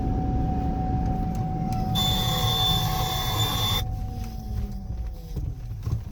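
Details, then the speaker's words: 7500-lb Gambler 500 truck, brakes just bled through old lines: under a hard slam on the brakes, a thin whistle then a loud high squeal for about two seconds; pedal squeals if hit too hard, braking improved, cause unclear. "It's in the pedal. If you hit the pedal too hard, it starts squealing."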